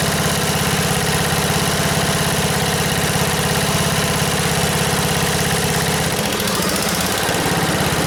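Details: 1977 MTD 990 (Dayton-badged, 16 hp) after its electrical no-start was fixed: a steady, even single-cylinder thump at low idle, near two beats a second, with no misses or knocks. It runs clean with the deck engaged.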